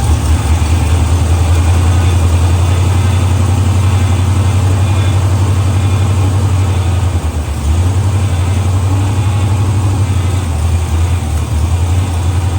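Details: 1970 Pontiac LeMans four-door parked 30 years, cranking after oil change: steady low starter churn about four beats per second, turning over but never catching; fuel starvation at carburetor later found, needle valve not passing gas.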